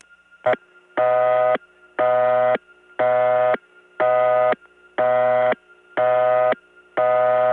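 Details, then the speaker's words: Gainesville GA step-by-step tandem, early 1979, via 92/99, probably to Dahlonega 864: a native St. Thomas-type busy signal, buzzy half-second bursts once a second with clean gaps, unique and slightly distorted. "the native st. Thomas type busy signal which by the way st. Thomas itself didn't have because there they replaced it but there's a real one here and it really is a unique tone"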